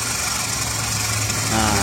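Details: Used car engine idling during purchase check, oil dipstick pulled slightly, no smoke coming out, suggesting piston rings are fine: smooth even idle, steady hum, no knocks or misfires; normal idle.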